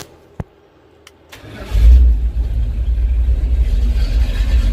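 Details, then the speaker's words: 1970 Dodge D100 after rewiring and new fuse block: a couple of clicks, then a short brisk crank, catches fast and settles into an even idle; normal crank and start. "cranks up fast"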